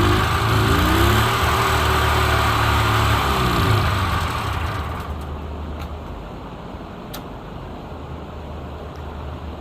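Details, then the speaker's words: Subaru 360 Van two-stroke engine, rebuilt with cast aluminum piston, dirty carburetor: uneven, wavering idle that hunts and stumbles before dying down; pilot jet completely plugged, carburetor must be taken apart and cleaned. "my pilot jet is completely plugged up. I gotta take the carburetor apart, clear it out."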